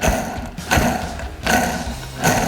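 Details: Dayton 7-inch bench grinder, model 2Z341M, motor apart for bearing replacement: hand-spinning the bad motor bearing gives a gritty, rough rumble that dies away as it slows, a worn, dry bearing beside a good one.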